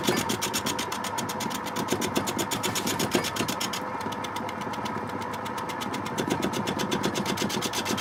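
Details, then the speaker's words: Record wood lathe turning a wet quilted sycamore bowl blank, headstock swung out: fast, even pulsing about four beats a second over the motor hum while cutting; vibration warble, owner suspects tool-rest contact or a blank too wet and heavy. "something's wrong here this warbling sound vibration is some kind think something was touching the tool rest"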